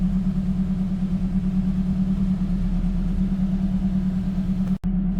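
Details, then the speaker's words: Gen 7 Toyota Celica after new fuel pump, OEM filter and new regulator: steady, even low-hum idle, no dips or stumbles; owner thinks it is relearning fuel trims after the ECU was unplugged. Normal idle. "I honestly think the car is just trying to learn fuel trims right now, because like it does relearn every single time you replug the ECU. I mean, it's not trying to stall out and die."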